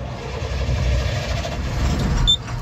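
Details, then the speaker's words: Tata 2518 BS4 tipper diesel with black smoke, knocking and tractor-like noise: cranks longer than it should before catching, rough shaky rumble and vibration; hard start, mechanic suspects injector back leak. "थोड़ा लंबा से लेकर start हो रही है ऐसा नहीं होना चाहिए वाइब्रेशन भी है"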